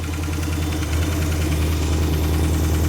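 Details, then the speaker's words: 1974 Dodge Monaco that had sat for years, at its first start: a steady low idle with a faint, fairly regular light tick of about three per second. The ticking has become much quieter since startup, and its source is undetermined. "The ticking noise has gotten much quieter. It's self-healing."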